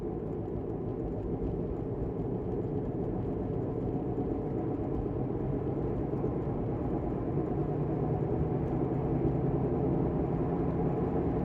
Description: Listen to Bad Wheel Bearing while driving. They make vibrations that increase with wheel speed. Often described as grinding, vibrating, growling, howling, whining, metallic type noise.